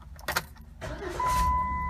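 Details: 2008 Jeep Wrangler right after a starter replacement: a short crank, then the engine catches quickly and settles into an even run with no grinding; a clean, healthy start on the new starter.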